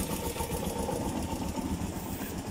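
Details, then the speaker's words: Kawasaki Barako single after top overhaul (new MTK block, valve seals; tight valve and off timing blamed for hard starting, block scoring not the cause of the earlier ticking): smooth even idle, no tapping over exhaust beat; top end quiet, normal. "Hindi daw yun ang dahilan ng lagitik. So yan o, wala nga lagitik."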